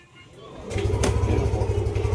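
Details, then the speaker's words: Yamaha Aerox 155 v1 Keyless, previously not starting with error 12, after CKP sensor replacement: quiet, then the engine catches cleanly and settles into an even low hum, error 12 gone; normal start. "okay mga boss wala na yung error 12 niya"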